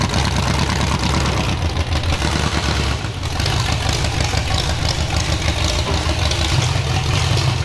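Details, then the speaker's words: Demolition derby car engine running loud and rough with a lumpy, uneven low beat under the exhaust; doesn't sound right, cause unknown, so it is being pulled for an LS swap. "doesn't sound right with that motor we're not taking chances we're pulling it out we're gonna put the ls in it"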